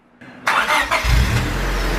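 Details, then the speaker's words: Honda Civic with freshly rebuilt, previously noisy engine, started after valve lash adjustment; brief crank, catches cleanly and settles to a smooth idle with no top-end ticking, valvetrain quiet. "it starts it's quiet and everything like that so at least we got the valves adjusted"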